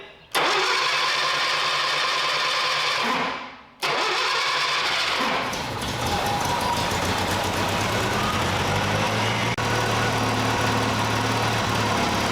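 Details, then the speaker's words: 1968 Datsun 520 engine after rebuild, restarted after its first start: cranks, catches, dies briefly, restarts and settles into a steady, quiet, even idle like a sewing machine. Owner suspects a cracked block along the freeze plug. "Good news is the truck's running like a sewing machine. I mean, it's nice, it's quiet."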